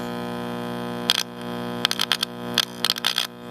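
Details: AirCastle 5050 All American Five tube AM radio with weak 35C5 tube: steady low mains hum with barely any program and a few clicks; failed filter capacitor, much improved once replaced.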